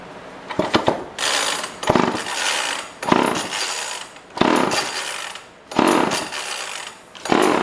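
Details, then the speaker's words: Old pre-1990s two-stroke chainsaw, no primer, probably no fuel in the tank: repeated pull-start bursts under a second each, about every 1.5 s, never catching; cranks but won't start, and the owner suspects the carb butterfly was wide open. "It almost sounded like it was full throttle. It sounded like the butterfly in the carb was open all the way, letting a lot of air in. Let's get some fuel in here."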